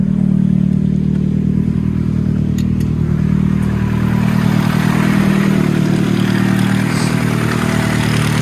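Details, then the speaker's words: Nissan Sentra Spec-V that has sat for months, idling: light metallic rattle coming and going, with the idle dipping each time it rattles. The rattle comes from the cam phaser gear's locking pin. "Listen to the little rattling. It's coming from the phaser gear. Hear it? Every time it rattles, every time it goes that it rattles, the RPMs drop."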